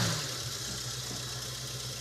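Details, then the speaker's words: 1969 Mustang with a 302 V8, sitting for over 27 years, started after a leak-fix radiator treatment and a new 13 lb cap: a steady, even, smooth idle with no misses or knocks, running well. "it runs mint wow we just ATF Wheels tires and go see monuments okay wow I'm down with that look at us wow this runs good"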